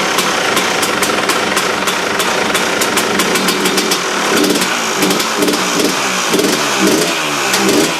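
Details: KTM two-stroke after replacing the damaged reed valve: crisp, eager revs climbing and dropping cleanly with sharp exhaust crackle and no stumbling; much better than before the repair, running healthy.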